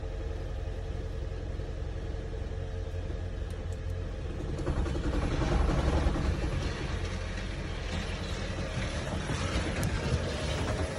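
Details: 2012 Lexus CT 200h hybrid petrol engine idles after starting with a loud, uneven metallic rattle over its low hum.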